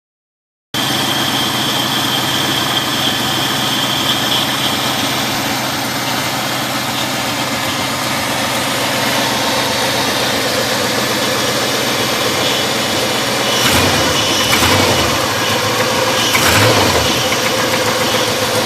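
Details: Spun bearing on a 1995 B-platform LT1 V8 at 278k miles: idling with a rough, regular knocking from deep in the engine.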